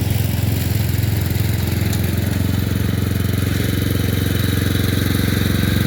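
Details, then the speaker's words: Murray Select 30-inch riding mower being fixed up, mowing on a slight incline with an unsharpened blade: steady single-cylinder thump about four beats a second, holding speed with no misses; cut decently, runs normally under load. "For the most part, it didn't do too bad. But then again, excuse me, you're talking about it's on a excuse me, it's a little bit of an incline there, but you know, it it cut decent without me even sharpening the blade, but I'll still do it anyway just to be on the safe side."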